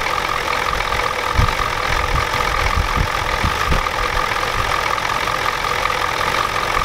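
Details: 1993 Ford F-250 7.3L IDI diesel after sitting since Monday: a rough idle with irregular sharp knocks over a steady clatter. The injection pump was checked and confirmed out of time, and the engine smokes heavily.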